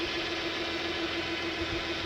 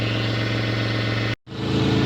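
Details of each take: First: Toyota 1MZ-FE, first start after a four-month bearing repair, with the exhaust leak fixed and the exhaust rebolted: steady, even idle with a smooth hiss and no puffing or ticking; exhaust sealed, normal idle. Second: Toyota 1MZ-FE V6, first start after a bearing repair, idling while warming up: a raspy, puffing edge over the exhaust beat from an exhaust manifold leak, with no knocks heard.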